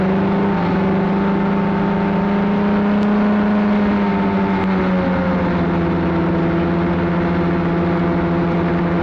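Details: Arctic Cat Cheetah 440 snowmobile bought for about $50, previously running rough, ridden after repairs, camera on front of dash: steady two-stroke drone easing down in pitch with speed, clean, no misses or bogging; running really good; normal running under load.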